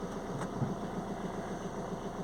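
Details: 2007 Ford Transit Connect 1.8 TDCi, earlier crank-no-start with P0087 low rail pressure, running after fitting a secondhand injector: steady, even diesel idle with smooth low rumble, no misses or knocks; idling cleanly.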